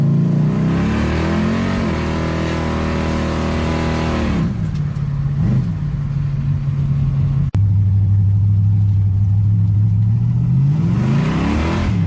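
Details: Worn-out Chevy 305 V8 in an S10 pickup, carb refitted after six weeks sitting, started after sitting overnight: lumpy, uneven beat through revs and idle with top-end tapping from a loose rocker and a dead cylinder.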